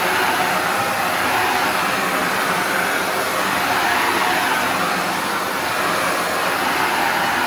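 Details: Shark NV355 vacuum bought in 2018, about 3 years old, converted to hose mode with strong flow; strong even air rush over steady motor hum, no rattles or surging; normal running.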